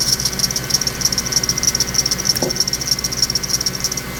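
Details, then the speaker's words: Ticking suspected from a bad accessory pulley bearing on a 2006 Ford Expedition at about 150,000 miles, engine idling: light, sharp, steady metallic tick about three times a second from the front accessory area; WD40 on the pulley briefly silenced it, so pulleys are to be replaced. "we got the engine started you can hear this ticking sound that I mentioned before let's take a look at it"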